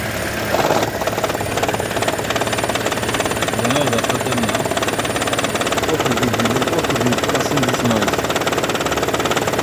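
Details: 2012 Toyota Prius, warm idle: steady knocking and rattling, three or four per second, starting and stopping with hybrid battery charging; also at low driving speed, not at high speed or cold start, often in ECO mode; coils, plugs, injectors already replaced; cause unclear.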